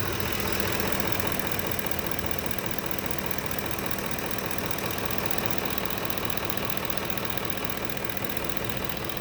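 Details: 2010 Ford F-150 petrol engine idling steadily with a fast, light, even ticking over the engine note; owner asks if it is normal and what causes it.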